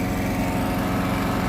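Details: Briggs and Stratton 7.25 gas engine on a self-propelled walk-behind mower. It previously would not start and backfired; fuel replaced with fresh gas. After repair it holds a smooth, even buzz at steady speed with no misses or knocks; normal running.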